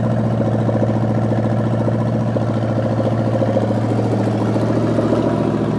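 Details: Rebuilt '73 Canadian truck 350 Chevy V8 (replaced piston and rod, big cam, fuelie heads) run with no fan, warming up: high, uneven loping idle, wandering beat about 3.5 pulses a second; ignition timing way off, distributor twisted.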